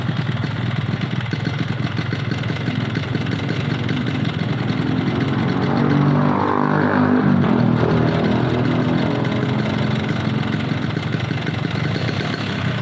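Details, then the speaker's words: Yamaha RX two-stroke motorcycle lacking power: rough uneven idle rising harshly on a blip with rattly clatter; mechanic cites poor compression. "Oke, dari suara mesinnya teman-teman bisa dengar, dan ini motor tenaganya kurang maksimal. Masalahnya kompresi kurang rapat, kedua membrannya terlalu berat."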